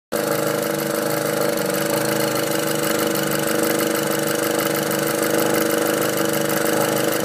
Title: Golf R engine noise after catch can install